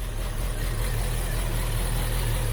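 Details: 2014 Chevy Sonic 1.8L that stalled with codes P2270 and P0171, after replacing the valve cover with integrated PCV valve: smooth even low idle hum, no hiss or surging; vacuum leak gone, possibly relearning.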